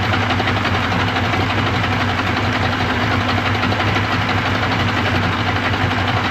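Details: 1995 Yamaha 75hp two-stroke outboard on a pontoon boat, just after water pump replacement, started cold on choke and not yet warmed up: steady, even burble at idle with no misses, knocks or rattles; running smoothly and healthy.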